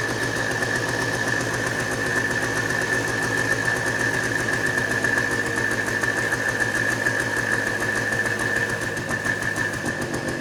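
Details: Two-stroke started with ether after sitting, choke position uncertain: fast, slightly uneven buzzy beat with a steady high ring underneath; it runs but sounds rough, cause unconfirmed. Rough running.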